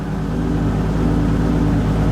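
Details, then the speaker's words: VW MK4 R32 twin turbo, first start on the new setup with a new accelerator pedal wired to the ECU. Steady low idle drone with a slight uneven pulse. After a small rev the idle goes funny again; rough, not perfect. "listen to that happy days now if I give it a little rev it does ID or funny again but"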